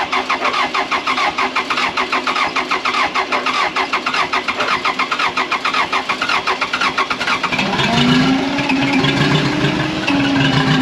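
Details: Case 450B dozer diesel, abandoned 15 years, just-rebuilt Roosa Master DB2 injection pump: clatters at a steady idle about three beats a second, then picks up cleanly when revved; running healthy.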